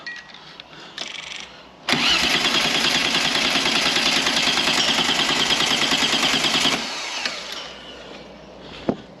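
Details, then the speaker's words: 2 L V6 trike on jump pack, fuel in tank but fuel pump not heard or felt buzzing: about five seconds of fast, even starter churning that never fires; crank no start from a seized fuel pump. "first thing I'm going to check is fuel I can see a fuel pump down there but I can't hear it kicking in"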